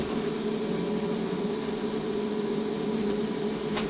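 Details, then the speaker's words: Go Ahead London electric bus SEL5 on route B16, heard from inside while riding: a constant mid-pitched hum with a steady overtone that never changes. Unusual noise; a passenger fears a fault, cause unclear. "[ __ ] is that sound, bro? No, I might have to get off"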